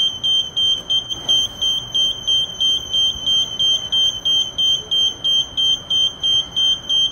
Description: I hope that by listening to this incessant beeping you get to feel how the lift feels when you hold the door control buttons for too long.